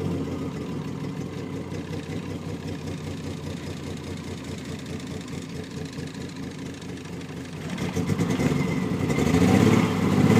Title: Triumph TR6 - Misfire Failure